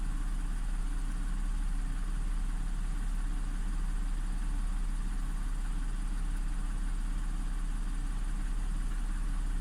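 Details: Audi S4 B8 3.0T supercharged V6, first start after repairing bank 2 timing chain that had jumped a sprocket (P0018 cam correlation fault): deep, smooth, steady low idle with even hum, no knocks, rattles or hunting; healthy, no codes.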